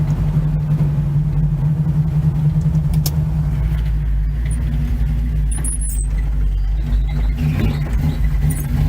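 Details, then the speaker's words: 1971 Chevy C10 V8, long yard-sitter, first drive after getting it running and carb tuned: deep, steady rumble under way, even and smooth with no knocks or misses; still needs some tune-up, healthy engine while driving. "So here she is, she's driving. Might need I gotta tune up a few other things. She sounds pretty damn good."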